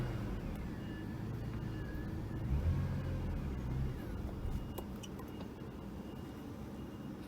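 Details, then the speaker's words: 2001 BMW E39 525i starts, runs rough about a second then dies, intermittent no-start and cut-outs while driving; fuel delivery suspected, fuel pump and sender being checked. "that's what is happening a little bit so it starts and then it dies"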